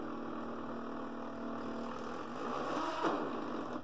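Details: Original Fluidmotion SteppIR 3-element antenna controller, possible lightning damage, in test mode: faint steady mid-pitched whir running evenly a few seconds then stopping; reflector stepper driving normally.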